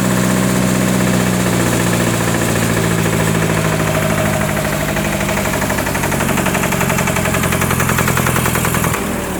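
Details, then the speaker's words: Onan 30kW generator with 4-cylinder Ford diesel, first start after bleeding air from the injector pump, runs slow with a heavy uneven beat that dips and stumbles like lugging; owner unsure, cause unclear, somewhat smoky. "oops hiccuped a little bit see sounds like it's lugging but i'm not 100 sure it is"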